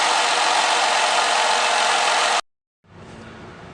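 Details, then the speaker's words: 2010 Ford Fusion 3.0L V6 after spark plug change and intake manifold refit, test run with air conditioning on, no engine lights: steady, even hiss and hum with no misses or ticking, smooth after a brief cut; normal idle. "Doing a quick test run. Air conditioning's nice and cold. Engine's really smooth."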